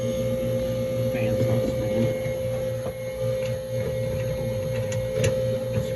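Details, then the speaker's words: Duke drawer cooler refrigeration unit restarted after cleaning badly clogged filters that had driven head pressure through the roof: a loud steady electrical buzz from the condenser fan motor rides over the compressor hum, cause unclear. "all right this fan is buzzing like crazy"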